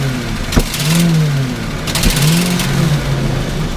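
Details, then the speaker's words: Engine stomped to full throttle suddenly from idle: revs start to climb, then bog and sag with sharp pops, twice in four seconds, a stumble. Owner suspects a faulty sensor. "now watch what happens if I stomp on it from an idle as long as the throttle remains to the floor that's what it does but it has to be done suddenly so I'm thinking somewhere of a sensor there is messing up"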